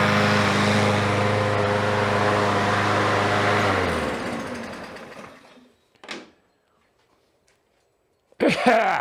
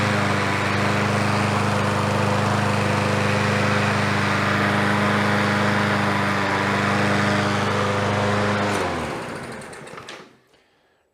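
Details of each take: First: Revived Troy-Bilt mower, smoky from oil in the cylinder: small engine runs smooth and even about four seconds, then winds down to a stop; no misfire, normal running. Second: Troy-Bilt TB110 push mower, Briggs & Stratton 550EX single-cylinder, first run after carburetor refit and refuel: runs steady at a fast even beat, then dies off. Overfilled crankcase is pushing oil through the crankcase vent and smoking.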